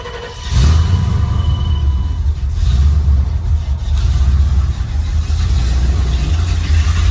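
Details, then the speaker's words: Dually pace truck with TBI, first start after a new fuel pump: engine catches at once and settles into a smooth, even, deep rumble with no misses or stumbles; running much better. "Oh man, much better. Oh, that is so much better."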